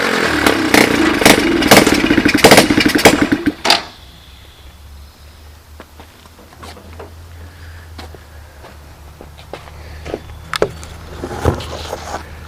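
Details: Free 110cc Chinese ATV, 3-speed semi-automatic with reverse, running on starting fluid and shifted into forward gear with the rear axle turning: the small single revs sharply for a few seconds, then settles to a quiet steady idle with no knocks or slipping.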